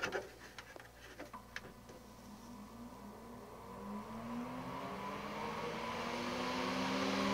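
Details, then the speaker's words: High-rpm 250mm fan fitted as a camping trailer vent on a dial controller, switched to top speed: a few clicks, then it spins up with a rising tone to steady strong airflow. Runs normally. "잘 빨립니다. 진짜 어마무지하게 빨립니다."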